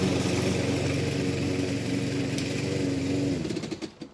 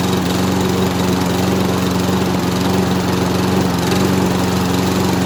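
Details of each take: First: Lawn mower salvaged from a scrap pile, run as found without preparation; smooth, even putter at steady speed with no misses or knocks, then winds down and stops; engine runs really smoothly. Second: Mower salvaged from a scrap pile, pull-started: loud, slightly uneven small-engine drone at steady speed with a faint stumble and smoke. The owner suspects the exhaust is filled with oil.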